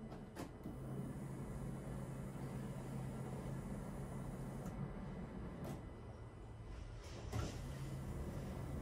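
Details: Peugeot Bipper 1.3 diesel, after fuel filter change and injector refit: ignition cycled so the electric fuel pump primes the filter; a low steady hum stops, then restarts after a click, normal priming.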